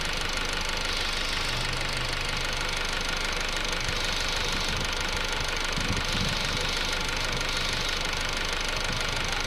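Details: Honda Civic 2008 EX petrol engine at idle, light regular knock about three per second over steady hum, owner reports weird noise from rear heard at different times; unidentified knocking.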